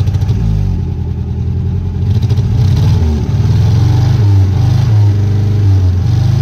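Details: 1958 Peugeot 403 pick-up, one owner, restarted after decades abandoned; lumpy uneven idle with regular stumble and dips as revs rise; one cylinder dropping out, misfire.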